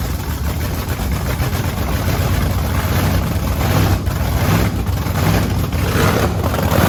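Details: Supercharged methanol-fuelled Camaro race car after cleaning gunk from clogged injector nozzles; deep, loud lumpy rumble picks up cleanly with each blip without stumbling or bogging, so the engine is running properly, not flooding.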